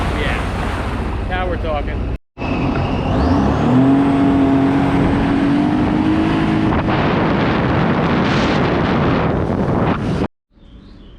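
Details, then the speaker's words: 2007 Sea-Doo RXT 215 supercharged jet ski after pump rebuild, new prop and replacing scored wear ring: steady smooth rising drone pulling on water, no grinding or rattle; normal running. "Gorgeous. That's how it should sound. Let's put her back in."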